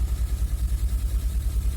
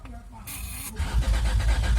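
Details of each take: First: 2003 Honda Accord V6, first start after engine swap (previous engine had rod knock), borescope showed oil in cylinders; deep, lumpy idle surging unevenly with a skipping beat, missing on some cylinders, check engine light on; misfire. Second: 2003 Honda Accord V6 with freshly swapped engine (previous one had rod knock), first crank with fuel pump fuse pulled; strong, even cranking with no firing or grinding, oil pressure light yet to go off; normal cranking.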